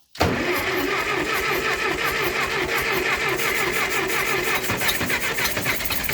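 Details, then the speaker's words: Ferguson TO20 tractor sat 3–5 years not running, just started after spark work: catches at once but runs with an uneven, stumbling, wandering beat; suspected fuel problem with carburetor not pulling fuel, some ignition trouble possible. "all right I think we might be getting into some fuel issues now"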